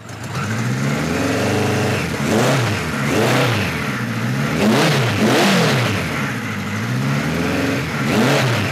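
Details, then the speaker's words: 1973 Kawasaki Z1 900 with new 4-into-4 exhaust, warming up on enricher after jet changes: blips up and falls back, with a small sharp pop as the throttle first cracks; lean off idle, which should not happen. "so uh you know a little pop there when you just start to crack the throttle which should absolutely not be the case"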